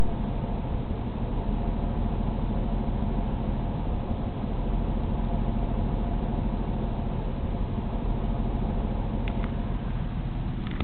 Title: 6VD1 rough idle